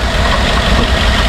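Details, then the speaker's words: 2014 Ford F-150 5.0L V8 just after replacing the starter and cooling hose assembly, warming up through a full heat cycle with no coolant leaks. Deep, steady, even rumble with no ticking or misfire: a normal idle. "man it's running good it's not leaking we're going to let it run until it does a complete heat cycle"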